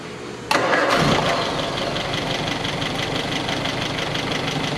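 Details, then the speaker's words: 1961 Triumph TR3A at idle after fitting a replacement Pertronix distributor with integrated electronic ignition; starts quickly and settles to a steady, even idle with no misses or knocks; timing mark stationary at top dead center, set exactly at four degrees; healthy. "that was easy it was spot on right away so if you can see the timing mark stationary um where it should be at top dead center that means that your timing's right and we are exactly at four degrees"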